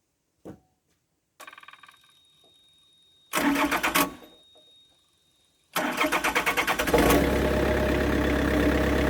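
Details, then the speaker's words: Yanmar VIO55-5B excavator diesel after an oil and fuel/air filter change: short bursts of even cranking, then longer cranking at about three turns a second without starting, because the fuel had been turned off. "I turned the fuel off yesterday. Yes, that would help."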